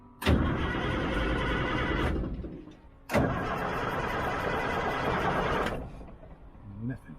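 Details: Old 6x6 deuce-and-a-half army truck, batteries good, fuel lines being bled to the injector lines: the starter churns steadily in two bursts of about two and three seconds with no firing; it cranks but won't start, and fuel delivery is suspected.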